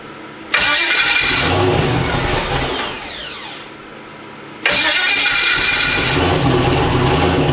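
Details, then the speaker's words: Hot restart after a starter replacement, engine at about 200 degrees: a brief crank on the new, unusual-sounding non-stock starter, then it fires and settles to a steady idle; a second start also catches at once. Normal hot start. "Runs again. Man, that starter sounds freaking weird. Listen to this thing. Definitely don't sound like no stock one."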